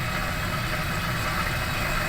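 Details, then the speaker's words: Laundromat washing machine after replacing broken timer switch with donor part: even, steady hum with water rushing, no knocks or grinding; filling and running normally. "Okay, got water running. All right, so we were successful this morning."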